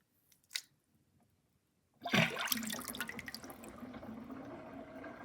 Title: Interesting kitchen sinkdrain with sinkplug 50.5 mm and gurgling sound